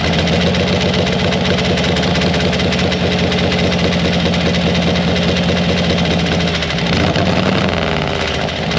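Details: 1940 Harley-Davidson UL 74-inch flathead V-twin after oil feed pump rebuild, low loping even potato-like idle, speed shifts briefly near the end; oil light still on at idle, running normally.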